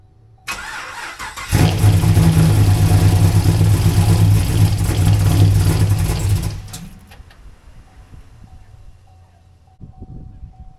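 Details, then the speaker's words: Camaro after plugs torqued to 11 ft-lb and new plug wires: cranks, then runs ragged and stumbling for a few seconds before dying; earlier driver-side misfire codes, and driver-side headers stay cold. "okay so a quick observation the driver side remember I told you guys on the driver's side we had uh codes for misfires now the code won't pop back up but it was there"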